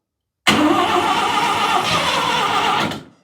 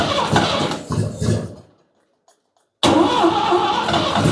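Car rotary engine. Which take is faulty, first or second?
first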